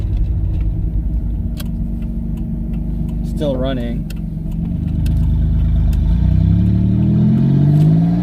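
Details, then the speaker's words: Twin-turbo V6 Mustang with new DW 340lph fuel pump, driving around the block: revs rise smoothly through the gears, no stumble or stall on lift-off; second gear pulls well; running normally. "she hasn't died on me yet i mean it sounds fine yeah i could hear you ripping well from my end it sounds pretty cool"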